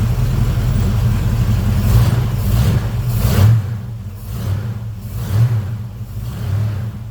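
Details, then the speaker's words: Volvo Penta 454ci V8 boat engine after fitting an HEI distributor and setting timing to the second balancer mark: deep steady low rumble, even beat, no misses or rattles; smooth normal idle. "I'm very happy. So now he's running beautifully."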